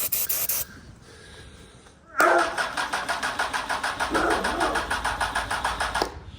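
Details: Honda Hornet motorcycle with old fuel and fuel light flashing: about four seconds of brisk rhythmic starter chugging that never catches; owner suspects weak battery, around 11 volts, fuel pump or airbox/throttle issue.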